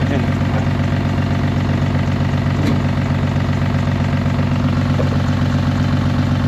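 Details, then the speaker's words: 2009 Honda Odyssey V6 with a leaking valve cover gasket dripping oil on the alternator, before new plugs: uneven idle with a repeating thump and stumble; misfire on one cylinder, spark plugs or a coil suspected. "solamente en un cilindro tiene mis Fire puede ser que sea lo Spark plugs malo o también puede ser una co también"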